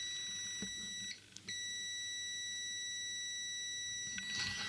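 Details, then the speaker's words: Panasonic TX-24D300E TV with vertical lines on screen: multimeter in continuity mode between Vcc and GND gives a steady beep, briefly broken then continuous, showing a short circuit on the chip. "on va prendre le mode bip en mode continuité déjà dans un premier temps et on va mesurer le GND et le VSC voir si ça ne BIPE pas"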